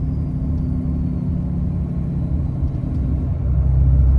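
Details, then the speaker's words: Ram 6.7L Cummins diesel, turbo rebuilt with Amazon kit and new actuator about a year and ~30,000 miles ago, towing trailer with 500 lb tongue weight, turbo (exhaust) brake and tow/haul mode on: deep, steady drone under load, no whistle or flutter; brake engages and releases normally. "it works just fine. No issues, comes right back off. Drove thousands of hard miles on it. Still engages really, really good."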